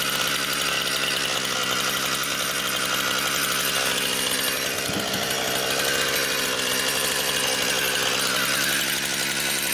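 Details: Brand-new Husqvarna 460 Rancher chainsaw on its first run, cutting pine firewood: a loud, steady high-pitched note that holds even under cutting load, with no bogging or sputter. It is a healthy saw with big-motor power.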